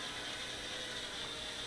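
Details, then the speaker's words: Eachine 3D X4 micro quadcopter in flight: high motor whine with rapid ticking rattle throughout, suspected prop hitting prop guard; unstable, leans and yaws on its own, owner thinks unit may be defective. "But you can hear a prop hitting a prop guard or something. You hear that?"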